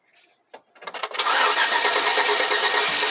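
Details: 2004 Chevrolet Silverado cranks but won't start: a few slow cranking turns, then it catches and revs on starting fluid; fuses and relays already checked, so the no-start is fuel-related and the owner concludes the fuel pump has failed.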